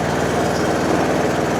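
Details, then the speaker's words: John Deere D140 mower, 196 hours, with two failing hydrostatic drive-belt idler pulleys (V GX20286, flat GX20287) that squealed when the clutch/brake pedal was released: smooth even engine putter with drive engaged, no squeal or chirp, nice and quiet. "She's nice and quiet. She's nice and quiet now."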